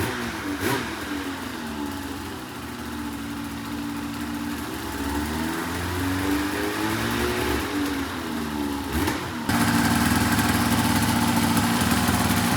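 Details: 2004 RMK 800 two-stroke sled with SOP exhaust, Poison reeds, one cylinder at 120 psi compression; revs crisply up and down then holds a steady high buzz without misses or knocks; running healthy.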